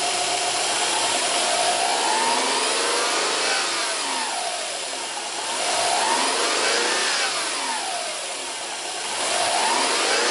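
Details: Subaru Impreza 1.5 power steering: moaning whine rising and falling as the wheel turns, worse with AC on, steering heavy. Cause: worn rubber ring on the return hose at the pump let air in; belts, AC and pump were fine.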